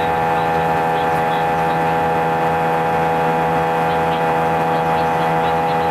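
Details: A320 cabin during takeoff on a 5-hour flight: loud, steady drone with strong humming tone and vibration felt through seats, lasting the whole flight and drowning out intercom announcements; passengers felt something was wrong, cause unknown.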